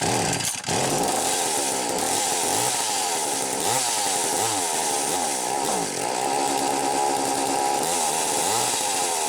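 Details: McCulloch Power Mac 320 Auto-Sharp two-stroke chainsaw, carburetor recently loosened: high-pitched revs surge and sag unevenly instead of holding steady; poor running from carburetor pulse hose found disconnected.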